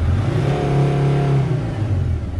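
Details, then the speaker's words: T1N Mercedes Sprinter diesel just fixed from a no-start: climbs cleanly and smoothly under a blip of throttle to 4000 rpm or above with no miss or hesitation; not in limp mode. "it's actually not a limp mode because it it actually goes all the way to 4000 or above rpms"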